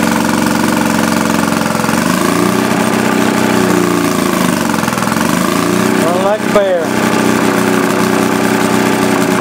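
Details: 1937 Maytag Model 72 twin-cylinder Multi-Motor with WICO magneto, under restoration, earlier starving for gas until refuelled: even, steady twin putter rising and falling cleanly as it's loaded and revved, no misses or knocks; runs healthy.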